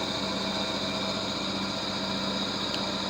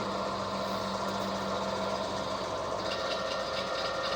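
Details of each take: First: Vintage HPA wheel balancer, probably Danish, early 1960s, running with no added weight and not bolted to the floor. Steady spinning hum with a light loose rattle from the unbolted frame, no building wobble beat; zebra disc quite stable. Normal running. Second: Vintage HPA wheel balancer, probably Danish, early 1960s, running with about 75 g weight added. Steady low hum with a constant rattling shake through the frame; whole machine shaking. Out-of-balance vibration.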